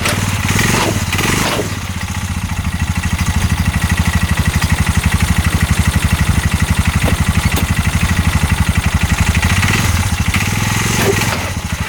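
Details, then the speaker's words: 2022 Massimo T-Boss 750 EFI UTV that a dealership gave up on: heavy thumping knock about four per second over the engine when put in gear, shaking the engine under load; CV axles and U-joint found tight, cause unknown. "that sounds absolutely awful I don't want to ride it too much like that it's just shaking the whole engine when I do it I can hear it just knock and knock"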